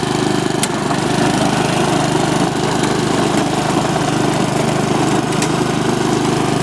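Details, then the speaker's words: Honda HRX217 mower after repair of the right rear axle support, which was grinding. Steady, even single-cylinder drone at constant speed with no knocks or grinding. Normal running, ready to return to the customer. "it's working great free to go back to the customer now"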